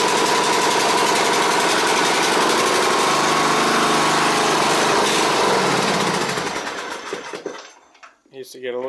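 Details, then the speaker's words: Exmark Viking mower V-twin after reinstalling the forgotten fuel pump pulse line: even, steady firing at constant speed for several seconds before shutdown; normal running. "all right well i got the oil drain on this thing ran pretty good and really well most of the grass"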